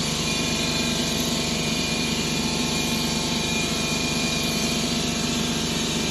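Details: 2011 Ford Escape 2.5L with codes P0300–P0304: steady engine drone with a slightly uneven beat, about two or three pulses a second; misfire on cylinders 1 and 2, traced to broken valves after engine removal.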